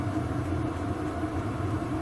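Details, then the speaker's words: VEVOR 8kW diesel heater running in workshop: even low steady hum and soft drone, no ticking or surging; exhaust noisier than the pump, pump quiet; owner plans extra muffler; normal running. "noise wise there's more noise from the exhaust than there is from the pump the pump's you actually not that bad"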